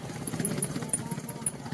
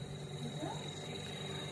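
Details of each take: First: 9 kg Fanfila twin-tub washing machine spin dryer running: sharp high squeaks, about five a second, over a low spinning rumble; worn spin-dryer shaft seal turning with the shaft, also leaking water; seal to be replaced. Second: 9 kg twin-tub washing machine spin dryer after replacing a seal that had been spinning with the shaft, causing squeaks and leaks. A quiet, steady high whine with a light hum and no scraping: normal spin while the new seal breaks in.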